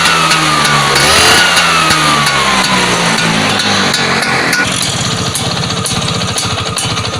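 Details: Vespa PX two-stroke after contact-breaker (points) repair: revs up cleanly then drops to a steady, crisp low idle with an even popping beat and no misses.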